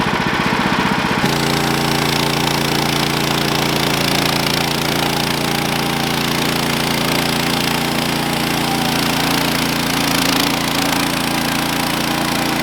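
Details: Sawmill engine drones steadily under cutting load with a faint wavering hum, then bogs as the blade stops mid-cut. The cause was a worn-out, slipping clutch and a worn drive belt.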